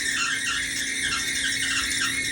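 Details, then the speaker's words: Whirlpool dryer YWED9620HCO gives a constant, loud high screech, suspected from a worn idler pulley, before replacement with a kit of belt, drum rollers and idler pulley. "Sounds like it's coming from up here or down there. I think it's that idler pulley."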